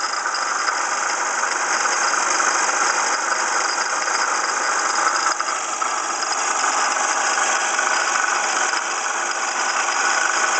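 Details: 1995 Ford Escort idling: busy, steady metallic rattle and faint squeal from passenger side of engine, a water pump pulley damaged in a passenger-fender accident; alternator replaced earlier, belts checked fine.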